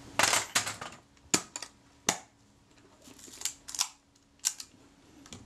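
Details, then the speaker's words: Kodak Retina IIIc shutter after service and reassembly: crisp, clean single clicks releasing sharply without drag or stutter; shutter firing properly, normal operation. "sounds good to me let's get it on a nice slow speed that's good half a second"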